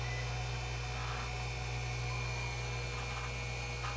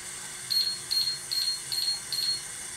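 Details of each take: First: Hoshizaki nugget ice machine after its 5-minute gear-motor purge cycle and with the compressor kicked on: steady motor hum, faint high whine and soft crunching as ice forms and is pushed up through the slots; ice making is normal. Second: Hoshizaki nugget ice machine that beeps and quits making ice: five short high beeps, about two and a half a second, from the control board, a freeze timer alarm (water valve off 30 minutes).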